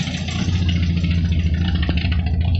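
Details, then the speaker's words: 1973 Triumph Spitfire MkIV 1500 with a blown head gasket (white smoke from the exhaust, grey mayonnaise in the filler cap): deep, lumpy idle with an uneven chuffing beat, like a tractor out the back. "So anyway, as you can hear, it sounds like a Russian tractor. Actually sounds like a yak aircraft out the back."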